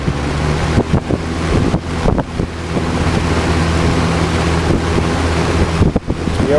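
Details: Old Lasko box fan after repair runs smoothly with steady low motor hum and rushing air; previously creaked badly, nearly seized and stopped instantly when switched off.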